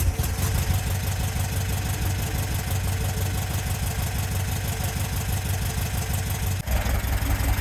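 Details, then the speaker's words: VW sandrail dune buggy, unused for 18 months, runs with a lumpy, uneven idle and a beat dropping out, firing on only three cylinders. Plugs are suspected first, then a split vacuum hose is found as the likely cause of the rough running. "I think it's definitely firing only on 3. I'm going to take the spark plugs out and give them another clean, see what the problem is."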